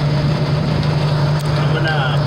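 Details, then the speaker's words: Normal idle of a 1987 Ford Bronco II 2.9 that had stalled and would not start. After the distributor, pickup coil and coil were checked and a wire reconnected, it starts from the ignition switch, remote starter bypassed, and settles into a steady, even idle with no misses. "i'm gonna crank it over there from the switch right there i eliminate my remote starter okay we have the truck running"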